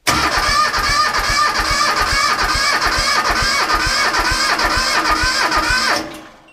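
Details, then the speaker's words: 1978 Bolens diesel tractor, cold, cranked by a KeenPower supercapacitor jump starter without using the glow plugs: brisk even cranking at about three beats a second for six seconds, no firing; it needs its glow plugs. "okay so despite us being able to crank it faster it shows you how valuable those glow plugs are"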